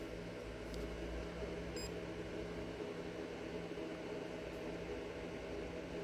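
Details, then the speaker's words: Bluetti AC200MAX solar generator charging, 480 W input at 40% charge; its internal cooling fan gives a soft, even hum over a low steady drone with no rattles or surging, which is normal. "You can hear it humming away. Got a nice little fan in there so it doesn't overheat."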